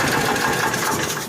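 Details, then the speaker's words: 1955 Cushman Truckster, cold after a couple of years unused, on a 12 V battery; small single rattles unevenly and sags as if about to quit; fuel delivery trouble, owner suspects dirt near the pickup tube, cause not confirmed. "Uh-oh, fuel issues again. Let's try the old air trick again."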